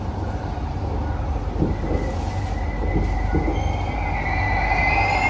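Train rumbling along with rail clicks, then a rising high-pitched squeal builds and holds over the last seconds as the wheels screech.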